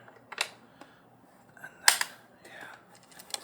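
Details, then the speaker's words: 2024 Honda Motocompacto folded scooter shaken after the fix (loose screw thread-locked, metal-on-metal gap closed): a few sharp clicks and short rattles remain, quieter than before. Some other screw may still rattle. Light body rattle. "can see it's not as bad there's still some sort of screw but you know you can't fix it all"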